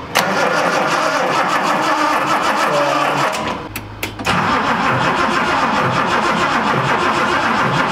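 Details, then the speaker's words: Datsun 280Z at a first start attempt. The starter turns the engine at a steady fast rhythm for several seconds with no firing. It cranks but won't start because no fuel is getting through; more fuel is to be added. "definitely not getting fuel yeah we're gonna get some more fuel and some fish and chips and then we're gonna put more fuel and see if that helps"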